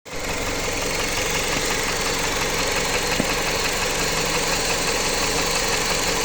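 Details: Jeep Patriot 2.4 engine at steady idle with a faint, loosely regular knock about three per second over the engine hum; the source is undetermined. Engine knock.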